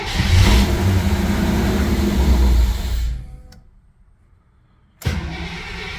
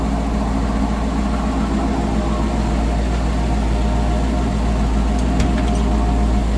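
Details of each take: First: Holley Sniper EFI car at 51°F, fuel primed and a loose ground tightened: engine catches and runs strong about three seconds, then fades and dies, a stall after cold start; cause suspected, not confirmed. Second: Holley Sniper EFI engine after three years, barely tuned (TPS and IAC only), with a coolant leak and slightly loud injectors: low, steady, even idle with no misses or surging for ten seconds before shutdown; idles fine.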